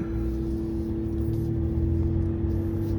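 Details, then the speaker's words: 2016 Ram 1500 3.0 EcoDiesel on test drive after fuel filter housing replacement for P0183; check engine light off but cooling fan still blowing hard, an original symptom; steady rushing roar and hum over diesel; fan at high speed, cause unconfirmed. "Uh but the fan is still blowing. Real hard. Which was a symptom of the initial problem."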